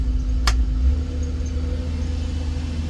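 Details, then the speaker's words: Demolition derby car after testing a newly mounted fuel on/off toggle switch: one light click, then a steady, even low rumble with no misses or stumbles; engine back to running normally. "back to running good"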